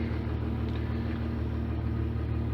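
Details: 1996 Jeep Grand Cherokee Laredo, crank-no-start caused by a bad fuel pump. After the new fuel pump and fuel filter were installed, it settles into a low, even rumble with steady pulse, no misses or surges: healthy idle.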